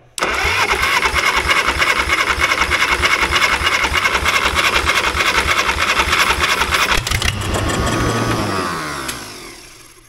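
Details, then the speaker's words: 1960s Caterpillar pony engine cranking with full choke: steady cranking about three turns a second for seven seconds, never fires; spark present but no fuel drawn through carburetor, needing teardown. "well I guess the gamble didn't pay off we're not getting fuel up through this carburetor we're gonna have to tear it apart and figure out why"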